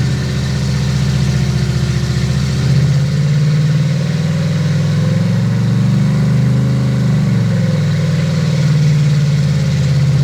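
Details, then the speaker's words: Brand-new fuel-injected 350 Chevy V8 on first run, lightly loaded, 18 in vacuum, 60 lb oil pressure: deep, steady idle with an even lope and a brief gentle rev rise, no knocks or ticks. Motor judged to sound fine; normal idle. "Come back after lunch. probably sounds good. Yeah, I think motor itself sounds fine."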